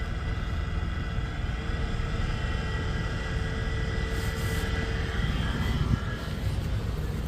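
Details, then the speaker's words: 2008 Toyota Kluger rear A/C blower motor with new carbon brushes: steady running hum with a faint hiss and thin whine because the brushes are not yet bedded onto the slip ring. "guys guys as you can see as you can hear the pan motor is ready working guys you can hear that hising sound because um the carbon brush is not it's not yet really sitting on the slip ring it's making a noise"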